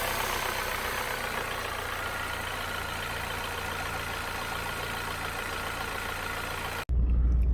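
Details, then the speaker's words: Saab 9-3 petrol engine idling after ignition coil replacement for misfire codes and flashing Check Engine; smooth even low drone with no stumbling. Check Engine light went out and the heavy rattling heard before is gone. Normal idle. "i nie słychać takiego mega terkotania jak wcześniej"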